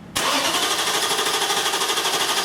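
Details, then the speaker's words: 2002 Infiniti Q45 4.5 L, crank no start with no spark, P0335; starter spins engine in quick even pulses about eight a second, never catches; scan data shows no RPM signal, failed crankshaft position sensor. "We're pretty sure we're not going to, but go ahead and crank it. Keep cranking. Okay, good. All right, so as you can see with this test, we have no RPM signal"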